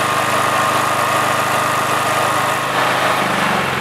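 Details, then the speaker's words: Honda GX390 generator engine, no load, auto throttle switch off for maximum revs: steady even drone with no misses but low and lazy, below the roughly 3600 rpm target; governed speed set too slow, needs adjusting. "now the issue with this generator is that the engine RPMs are a bit slow I'm going to start it up to show you and then I'm going to take a reading with my tachometer"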